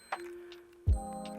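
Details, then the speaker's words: Plastic point-and-shoot film camera: a thin steady electronic tone, then a buzzier tone after a click, warning that the exposure is too dark; it stops when the flash is raised or the camera points at light. Low-light warning beep. "um this is this thing where if it's if the exposure is too dark or whatever it does is it it lights up and does this beeping noise"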